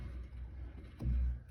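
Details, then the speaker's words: 2015 Volvo S60 T5, car raised, steering wheel turned slowly: quiet, then one dull low clunk heard as if from the dashboard; worn upper strut mount bearing binding and jerking, fixed by replacing the strut mount. "all right you could feel it right in the spring top bearing on the strut is a little wonky you can actually see it jerking back and forth"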